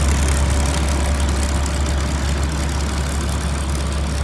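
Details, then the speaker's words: 2004 Blue Bird All American 72-passenger school bus, Cat diesel, warm after running about an hour, not overheated: deep, steady idle rumble with an even beat, no knock or miss; motor sounds good. "the rear bumper looks good doesn't have much damage outside driver's side has a small scrape right here and that's it"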